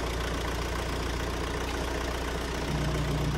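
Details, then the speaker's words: Van engine idling with the belt off while chasing an air-con clutch fault and a whine: a low, smooth idle with no whine, so the engine itself is quiet. Normal idle. "Let's start it up, see if we've got a wine still. Oh, that's quiet. That's quiet."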